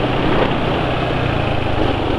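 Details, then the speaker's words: Motorcycle engine idling before adding oil additive, owner feels current oil not slippery enough: steady fairly loud idle with coarse gravelly edge, no clear knock; rough running engine, cause unconfirmed. "jadi dalam kondisi seperti ini suara mesin sudah hampir sama berisiknya dengan motor depan ya"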